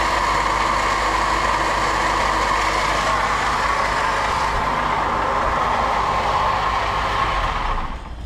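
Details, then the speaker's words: Honda Accord Euro CL9 idling: steady metallic rasp and whirr, heard via a listening stick near the wobbling water pump rather than the brand-new alternator; worn water pump bearing, to be replaced. "see that noise from from closer from here here not that much noise but here you can hear more metal to metal but this is brand new alator that shouldn't be fell so should be this one look and I test it you see so this is water pump went on it"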